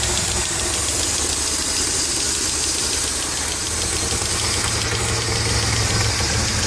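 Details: Dodge Stealth twin turbo at idle: light, fairly steady tick at about four per second over the engine hum; owner suspects a lifter tick but is unsure.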